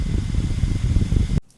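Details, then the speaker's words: Laptop fitted with liquid metal on copper about a year ago, sitting idle with the lid closed. Heavy, steady fan roar runs flat out with no letup because two cores are overheating; the liquid metal has possibly dried up or reacted with the copper. "should never sound like that sitting you know even though it's not really doing much with the lid closed"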